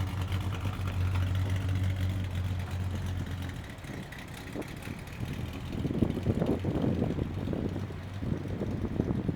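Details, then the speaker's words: 1967 Pontiac GTO, freshly built 1967-date-code 428 V8, 376 HP, 4-speed manual, new MagnaFlow exhaust: steady low idle rumble, then quick blips rising and falling cleanly, deep exhaust note, no rattles. Normal idle and revving. "And another thing I did forget, it's got excellent MagnaFlow exhaust, a brand new system on it."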